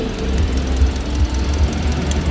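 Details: Toyota Vios Dual VVT-i idling with an uneven, lumpy stumble about twice a second: a misfire, with current leaking out the side at the ignition coil.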